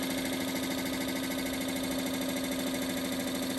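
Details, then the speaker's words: 42-year-old Suburban NT24M furnace blower motor bench-powered outside the case, fan previously hard to turn: loud steady droning whir with fast even flutter about three per second; owner suspects excess play, worn blower motor bushing. "I have a feeling this motor is I don't know what's going on with it. It's got too much in play or something weird going on."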